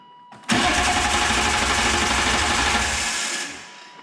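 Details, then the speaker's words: 1997 BMW M3 with the EWS bypassed by a jumper, starter proven good: it cranks steadily for about three seconds without catching; a crank position sensor fault was suspected. Crank, no start. "well that's disappointing i ran over a gopro today and your car doesn't start"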